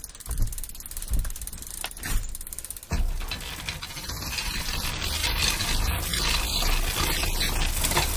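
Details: Road bike 9-speed drivetrain: rough mechanical grinding pulsing with each pedal turn, about 70 a minute, heard from the crank; caused by a worn, stretched chain, possibly the wrong speed type, fixed by chain replacement.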